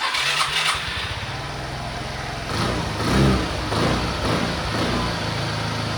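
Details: Suzuki Access scooter carbureted engine that runs only on choke and dies when the choke is lowered: it catches and runs unevenly, revving and sagging without a steady idle. The cause was found inside the carburetor jet system.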